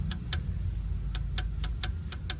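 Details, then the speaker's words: Torque wrench tightening the oil filter on a Volkswagen 1.4 TSI EA211 engine, first pass set to 20 Nm: several sharp metallic clicks within two seconds over a low background rumble as it breaks over at set torque. "es el aprieta 20 newm aquí me dice que ya no debo de apretar más"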